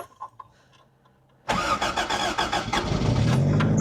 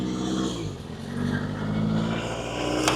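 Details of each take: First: Toyota MR2 (AW11) 4AGE four-cylinder unstarted for months, negative cable previously off: quick crank catches and settles into a steady even idle; starts cleanly. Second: Toyota MR2 with 4AGE engine, run after months sitting: idle rising and dipping, with a thin steady whine and an unidentified mechanical noise; owner suspects wrong coolant or air in the coolant; oil pressure sensor unplugged.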